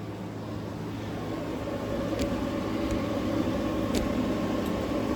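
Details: Newly installed GE AWFS10WWL 10,000 BTU window air conditioner; a soft, even fan rush with a faint steady hum and no knocks or rattles. The compressor is barely audible yet the air is almost ice cold; running normally.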